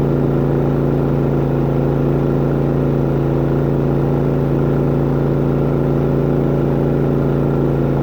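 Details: New Harbor Freight auto-sensing inverter generator with about 12 minutes on its hour meter, powering a travel trailer's AC; steady, even engine hum holding one speed with no hunting or misses, running normally under load.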